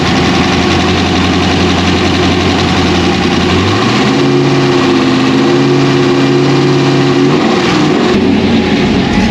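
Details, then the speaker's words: 2001 Pontiac Trans Am WS6 with a 500hp LS1 V8, first start after engine dyno break-in and reassembly: steady idle with a rhythmic, choppy cam lope, even and healthy; a normal cammed idle. "yeah now you can hear the chop there's the chop baby so there it is folks it's alive"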